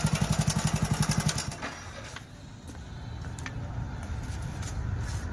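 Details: Hero Splendor Plus BS6 motorcycle starts and idles with a quick, even ticking rattle about four times a second; timing chain noise, fix is replacing the timing chain set.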